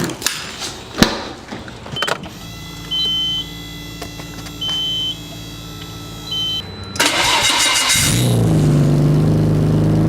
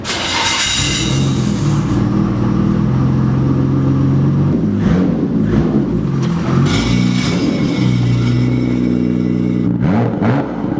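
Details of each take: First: R32 (catalytic converter refitted over straight pipe, old gaskets reused) fires into a raspy puffing idle; a bad exhaust leak comes from under the transmission tunnel where the cat joins the exhaust. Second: Nissan R32 GTR re-straight-piped, skid plate refitted; loud raspy straight-pipe note rising and falling through several revs with no rattle, puff or hiss, sounds much better and healthy.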